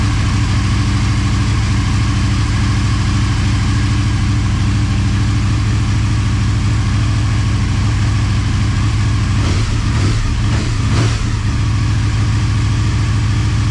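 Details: Motorcycle idling on second start after full teardown and rebuild, coolant and oil topped up: steady, even low burble with a couple of brief throttle blips near the end, settling back cleanly; normal idle.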